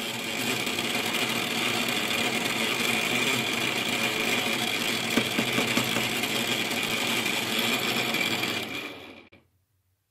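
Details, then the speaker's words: Loud, steady whir and hiss from a newly installed cold-water meter in a new-build flat as water flows through it while the boiler is filled, cutting off when flow stops; noisy water meter. "да вот такой шум создает этот счетчик когда вода через него проходит просто жесть"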